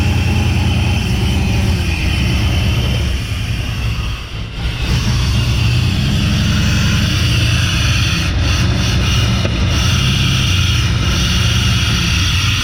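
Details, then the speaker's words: Chevy truck with a swapped-in engine that ran smooth in its previous truck: uneven, lumpy running with irregular beats, stumbles, dips and backfires; ignition timing is off with a loose distributor. "well you know when I took it out of that other truck or when I was before got pulled out of that other truck it ran really nice and smooth but anyway it's not doing it right now hmmm backfired and everything so yeah we definitely got some timing issues"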